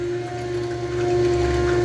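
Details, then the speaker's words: Electric fuel pump priming in a newly built return-style fuel system on a carbureted car, carburetor line plugged, engine off, only a gallon or two in tank, gauge reaching six psi: steady quiet hum with faint watery gurgle, normal priming, no leaks. "a lot of air oh that sure does build up get gas up here fast that's the first time I've been trying I'm actually pretty quiet yeah I won't sound like a fish aquarium"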